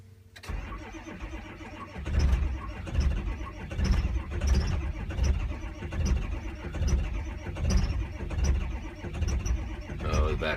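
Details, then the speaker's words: 2005/06 diesel truck with catastrophic EGR cooler failure and coolant-hydrolocked cylinders, cold start: heavy, slow cranking thumps about one per second, won't catch; battery voltage dropping dangerously low, slow cranking from low batteries. "dropping dangerously low I'm gonna get I'm gonna get charger out here get this thing charging up the batteries are too low"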